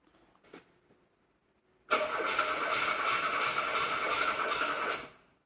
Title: VW Golf 2 won't start